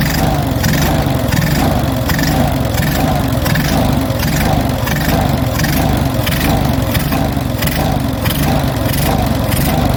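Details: Stone-cold Onan US military generator engine, automatic choke likely still on, with the governor recently removed and reinstalled. At idle the speed surges up and down a bit over once a second, never settling.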